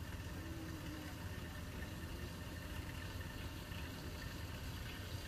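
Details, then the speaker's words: Car just back from repair, idling; quiet even hum with no clunks, rattles or knocking that it had before; normal idle. "Ang ganda ng tunog, hindi na yung kumakalampag."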